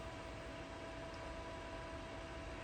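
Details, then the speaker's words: 2008 Mac Pro restarting during a macOS Monterey install: a loud, steady rush of air with a faint constant hum and no change in pitch. The exhaust fan runs at full speed for an unknown reason; fan control software only works once the machine is booted. "The exhaust fan on this machine does tend to ramp up and run at full speed. I don't really know why that is,"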